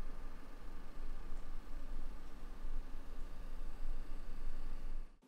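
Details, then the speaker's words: Brand-new Sony PS5 fan during normal operation, heard up close: a soft, steady airy hush with no rattle, tick or whine; judged normal fan noise, expected to get louder under full game load. "das ist meines erachtens einfach ein normales lüfter rauschen ohne irgendwelche probleme"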